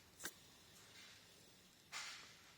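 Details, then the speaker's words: Porsche 986 Boxster replacement alternator spun by hand before fitting the engine, old one had a noisy bearing: only a soft hiss, no grinding or rumble, bearing good. "the bearing is good so the bearings see this you can't hear the noise"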